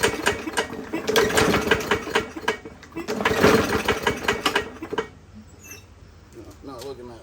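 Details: 21-inch Murray 125cc push mower after valve adjustment and valve cover reinstalled, oil showing metal sheen: uneven, lumpy chugging with irregular beats, then dies; still rough; owner suspects internal damage, possibly from running without breather cover, not worth fixing.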